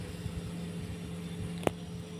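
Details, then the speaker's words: Two-door refrigerator that was not cooling (compressor dead, 220 V reaching it) starts after replacing the failed overload and relay: a click, then a steady low hum with no buzzing; current about 1.3 A, expected to drop as it cools. "udah hidup ya ampirnya 1,3 nanti dia turun ya"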